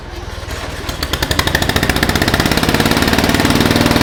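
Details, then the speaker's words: 2000 Murray LT1000 lowered riding mower, new exhaust, jump-started with starting fluid: catches and holds fast steady popping idle about four beats a second; throttle return holding high RPM, idle set screw adjustment had no effect. "the last thing is the throttle return I noticed uh it seemed to be holding at a pretty high RPM just idling and when I was fidgeting around with it I tried backing out the idle set screw it didn't seem to adjust anything"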